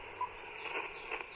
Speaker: You hear the pop, pop. That is an electric fence somewhere around here. Very common sound in rural North Carolina.